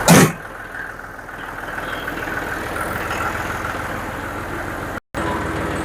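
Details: John Deere 5055D diesel tractor after cleaning sludge from the fuel tank, replacing the tank outlet screen and priming the lines: after a brief start-up burst it settles into a steady, even run with no misses. Driven near PTO speed, it runs great.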